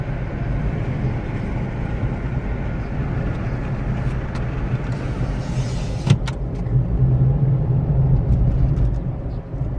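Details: 2005 Suzuki Forenza while driving: heavy low droning growl in the cabin from a badly worn wheel bearing about to come apart.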